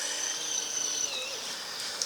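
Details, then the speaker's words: Cheap portable camping washing machine running at about 36 W from a power bank: a thin, steady high-pitched whine as the small motor strains against too heavy a wash load. "You could hear you can hear the motor whining."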